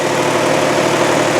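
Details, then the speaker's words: 2003 Saturn Ion 1, AC running: engine at steady, even idle with no knocks, ticks or misses; seller reports no valve train noise or high-rev knocks up to the rev limiter. Normal healthy idle. "So as you can see, as I'm hitting the rev limiter, this baby really sounds good. It's got no knocks, it's got no valve train noise, no high rev knocks."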